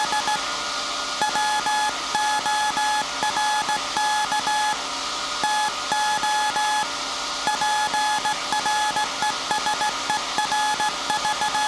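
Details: SAQ Grimeton 1924 Alexanderson alternator VLF transmitter on 17.2 kHz CW, December 1st 2024 centennial transmission: clean steady tone in short and long Morse beeps over constant hum; normal CW keying.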